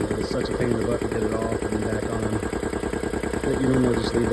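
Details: Belt-driven air compressor after replacing both belts with B72 belts and reassembling the belt guard: steady, even pulsing at about three beats a second with smooth motor hum, no slap or squeal; normal running.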